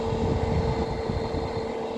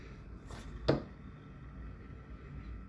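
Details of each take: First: 2009 Amana PTAC unit that uses one fan motor for both the indoor and outdoor fans, with only the fan running: a loud, steady hum with a droning low rumble. The fix is replacing the fan motor. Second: New replacement fan motor in an Amana PTAC (2009-and-older model) after the old motor's bearings were found loud: very quiet, smooth hum with a faint steady tone and a few handling knocks, running normally.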